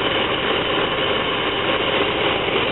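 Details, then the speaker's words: Van with running problem, fuel pressure checked and steady; smooth, even idle with steady hum, no knocks, misses or surges, ruling out fuel, timing or internal engine problem; map sensor, computer or EGR valve suspected. "Well, fuel's nice. I think we can rule out the fuel problem. You see how nice it's idling, so I think we can rule out a timing problem or a"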